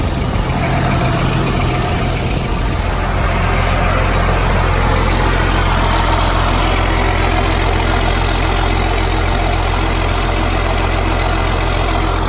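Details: M1078 military truck converted to dump truck with new hoist and bed, straight-piped diesel at idle: deep, steady rumble with an even low beat, no knocks or misses; healthy, normal diesel idle.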